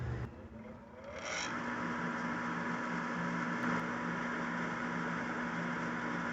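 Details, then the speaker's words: Furnace after repairing the gas valve instead of replacing it, powered back on through a start cycle: a click, then a smooth rising whir settling into an even hum with no scraping or rattling, and the gas comes on; normal startup cycle. "Okay, our gas came on. As you can see, the furnace is running as it should."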